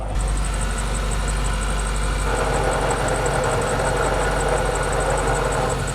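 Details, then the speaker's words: Suzuki Samurai manual transmission, not rebuilt when the rest of the vehicle was: steady idle with a dry, gritty growl that appears when the clutch is let out and is quiet with it in; worn bearings, getting worse, transmission to be rebuilt. "when you let the clutch out you'll really hear these bearings roll in a real kind of a dry bearing sound I don't know how to explain it but you'll hear it"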